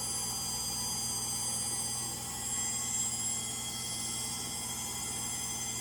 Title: Frigidaire Gallery front load washer model GLTF1670AS1 final spin. Bad Motor bearings.